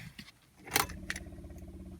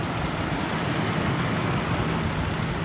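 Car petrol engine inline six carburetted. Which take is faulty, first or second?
second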